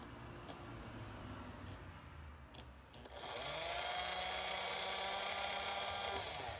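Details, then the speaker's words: Märklin SK 800 toy car motor (about 1945), restored from stuck, retested after cleaning the gear and oiling. A few light clicks, reversing-unit misclicks that may come from imperfectly aligned contacts, then a steady, even high whir. Normal running. "it's running great we had a few miss miss clicks on the reversing unit but that's that's pretty normal"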